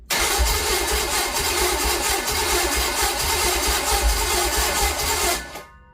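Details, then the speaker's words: Small-block Chevy 350 destined for a 1959 El Camino: loud, steady starter cranking for about five seconds with one sharp bark, fuel visible at the carb, but it never catches. Cause unknown; compression testing followed. "I see fuel coming up out that car that's it's all we get is that one little bark"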